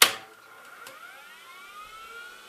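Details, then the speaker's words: IBM PS/2 Model 8530-021 with 640K RAM, retired after 25 years of continuous use, powered up; sharp click then thin whine rising smoothly as platters spin up, no scraping or knocking; hard drive healthy, POST without errors. "drive does sound really good."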